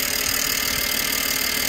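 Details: 2007 BMW E90/92 318i convertible four-cylinder petrol, after rocker cover gasket replacement, started to check for leaks: even steady idle with no misses, ticks or knocks; no leaks found, engine healthy.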